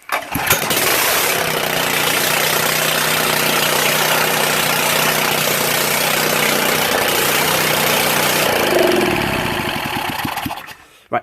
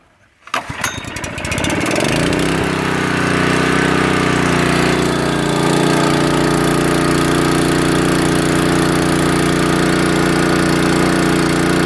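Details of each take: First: Honda water pump engine, restored after seizure and water damage, carb cleaned, still contaminated oil, exhaust manifold and cam cover off: starts readily, then runs at steady speed with an uneven, ragged beat; rough running before final adjustments. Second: Honda water pump engine restored from seized, water-damaged state, carburetor cleaned and finally adjusted: catches within a second and settles into a smooth, even hum with steady pitch; normal running.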